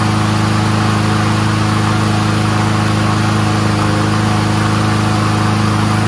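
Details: Troy-Bilt 21-inch front self-propelled mower with Honda engine, warming up: smooth, unbroken hum holding one speed with no stumbles or hunting; runs great on full choke and full run, normal.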